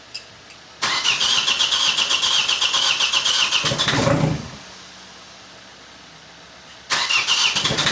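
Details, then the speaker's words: Opel/Vauxhall Astra diesel with a rebuilt scrapyard engine, first start after the swap with no exhaust fitted: loud unmuffled, fast, even running with no knock, then drops off and restarts; runs smooth. "up. It runs. It runs. Finally. Finally. Finally, it's running. And there doesn't seem to be any knocking sound."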